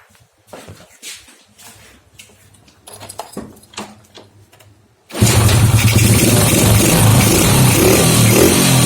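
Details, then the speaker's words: Honda Grand motorcycle with its original CDI refitted after a faulty spark plug cap was found, starting and running steadily with no stumbling or popping; the misfire came from the plug cap, with a weak pulser behind the hard starting. "Nanti akan ada perbedaan di gasnya, lebih enak."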